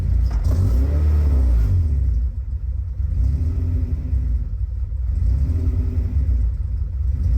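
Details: Honda Civic with suspected vacuum leaks that also hunts at idle when hot: deep engine rumble that surges unevenly when the throttle is blipped off idle, revs overshooting before settling; over-revs on acceleration from idle, cause not confirmed.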